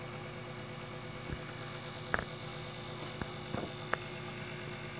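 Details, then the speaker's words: Grundfos 26-99 circulator pump on a hydronic heating system: steady low electrical hum, phone pressed against the pump, a few faint handling knocks; owner suspects the pump or its cartridge will need replacing, not confirmed. "the humming sound i'm gonna put the phone against the pump to see if it transmits through as well"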